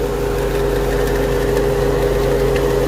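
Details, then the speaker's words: Infiniti M45 with VK45DE V8 at idle: a constant whirring over the engine from the belt-drive tensioner pulley, which vibrates to the touch, visibly wobbles and is getting louder. The pulley is worn and being replaced. "one I can feel a lot of vibration coming from it and I got some kind of ears getting louder so I'm pretty positive that's what it is but you can see the pulley even moving back and forth right there"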